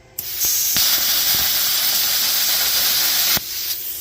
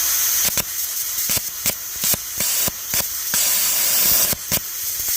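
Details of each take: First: AUTOGEN CUT50/CUT55-type plasma cutter torch, air pressure compared at 15 and 20 psi on a cheap gauge; clean steady air hiss starting and stopping sharply without sputter: 20 psi self-clears better, correct airflow. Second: AUTOGEN 55A (CUT50/55-type) plasma cutter at about 20 A, ground clamp on paint with the workpiece floating: air hiss broken by irregular sputtering arc bursts that never hold. Hard starting from a poor ground.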